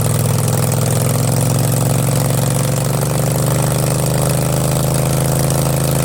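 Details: Craftsman garden tractor, 20.5 HP Kohler Command V-twin, with newly fabricated exhaust elbow and straight pipe, on half choke: deep, steady, even idle with loud open exhaust, no knocks or misses; engine healthy.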